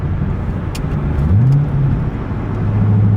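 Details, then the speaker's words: Corvette C6 driving with new stiffer AMT Vulcan motor mounts: heavy low drone and hum at low rpm, shifting pitch as the engine pulls, booming through the whole car; worst in 6th gear and when taking off. Low-RPM drone. "But now this is just, that vibration is just the cabin, or that vibration is just the whole car. Yeah, like when you get into low RPM, it's just not it."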